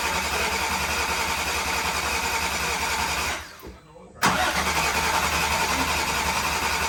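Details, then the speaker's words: VW MK6 GTI with swapped 3.6 VR6, first start after rod bearing replacement, jump-started: engine catches after brief quiet and settles to a steady, even idle with no knock; healthy. "but it sounds good idling really nice"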